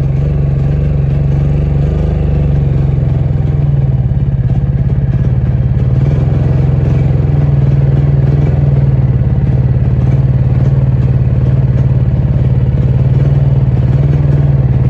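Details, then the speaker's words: Honda EU3000is inverter generator that had sat, pull-started with a dead battery: rough surging, wavering idle that won't run as the choke is pushed in, then dies. "and there's that Surge and as you can see the farther I push that choke in it does not want to run"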